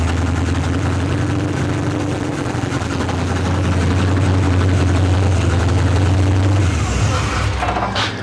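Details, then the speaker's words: Monte Carlo hot-rod small block after cylinder head replacement with Teflon valve seals, running on open headers: loud, deep, steady rumble with even lope, no knocks or rattles; idles smoothly. "Damn! She running good. That sounds really good."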